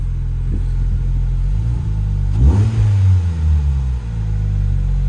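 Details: Project car after about two months' rebuild, with refitted exhaust, a PVC intake and a reconnected O2 sensor: a steady idle, then a quick, clean rev that rises and falls smoothly without stumbling or popping. It runs fine.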